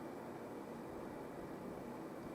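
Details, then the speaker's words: Elektor PA300 NE5534-based power amplifier (November 1995 project) on first power-up with a speaker connected and bias at minimum. Only a steady, soft hiss with no hum, crackle, pops or circuit noise; healthy but not especially quiet. "It's not exactly quiet amplifier, but there's no circuit noise."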